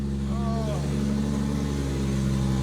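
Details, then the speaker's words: Toyota Supra running with the exhaust removed, car up in the air, after a rebuilt twin-plate clutch install: loud, raw, steady droning roar with deep low rumble while running through the gears. It drowns out any clutch engagement noise. "you can't hear the twin plate over the exhaust so I'll have to put the exhaust back on"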